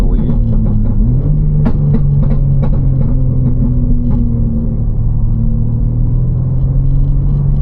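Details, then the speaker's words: BMW M3 while driving: loud low droning hum under throttle holds a steady pitch over road rumble, only between about 3,000 and 3,200 rpm; source not identified. "It only happens when I step on it. Wait, 3, 2. It's only for like, it's straight up between like 3,000 and 3,200 RPM."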